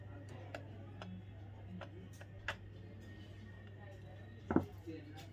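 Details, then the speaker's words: Mini quartz alarm clock just after repair (rusted spring found, three wires removed and resoldered), battery fitted, time not yet set: soft, evenly spaced ticks over a faint hum. The clock runs normally. "हम इसमें cell लगा देते हैं ये घड़ी तो हमारी चल रही है घड़ी का टाइम बाद में सेट कर लेंगे"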